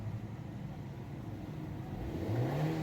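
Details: 2010 FAW V2 after spark plug replacement for a P0300/P0302/P0304 misfire, codes cleared: the engine climbs from a low idle into a smooth, even rev with no stumbling or popping. Weak piston rings are still suspected.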